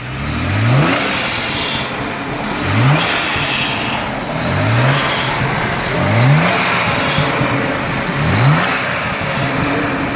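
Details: Petrol engine revved repeatedly to mid range, knocking only at about 3000 rpm: soft rough rrrr rumble under each rev, early rod knock from inside the engine, first heard cruising on highway and worsening.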